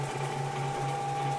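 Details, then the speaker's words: Harbor Freight Central Machinery 14-inch band saw running after replacing stock belt with Accu-Link link belt; even low hum, steady mid tone, no thumping or wobble; much smoother, a lot less vibration. "okay so here it is running after the link belt install seems to be much smoother it does feel better a lot less vibration"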